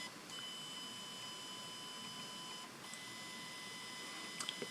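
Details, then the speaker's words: fischertechnik pneumatic hand small motor at speed 3 via the diagnostics interface: thin, high-pitched steady whine, briefly interrupted by speed changes, with no rotation; motor stalled. "oesn't work this does three doesn't work you hear the whining of the mountain it does want to do it but it doesn't up works this doesn't"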